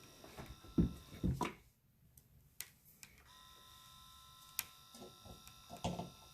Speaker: I wanted to get to the point that you guys gonna hear that loud noise is gonna be making that's like the system shooting the water makes or the detergent to the machine it's pretty loud